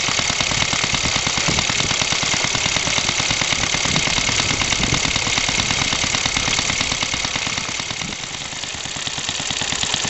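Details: Scratch-built home-made steam car, running on compressed air instead of steam (boiler blew up on first run), freshly oiled; quick even chuffing about three beats a second, little engine running smoothly.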